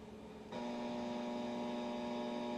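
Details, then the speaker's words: Noisy LED lamp powered without a 47 ohm series resistor, AM radio several feet away in another room: steady raspy buzz jumps in over radio hiss; interference from high crest-factor capacitor charging current, silenced by adding the resistor. "you can hear the radio in the other room is picking up the noise that the lamps producing"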